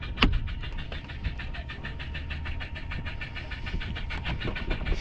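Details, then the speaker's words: Jet ski after the power cut out with a beeping alarm and it would not switch off: a fast, even clicking pulse about four a second over a low hum; owner thinks it is the bilge pump, unusually noisy, cause unconfirmed. "I think that's the BGE pump, but it's not usually making that sort of sound."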